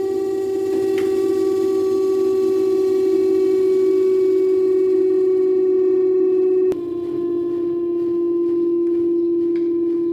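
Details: Daewoo inverter washer-dryer (9 kg wash, 7 kg dry) spinning at increased RPM: loud, steady siren-like whine, pitch dropping slightly as speed eases; not the bearings, the stator hall sensor was faulty and replacing it fixed the noise.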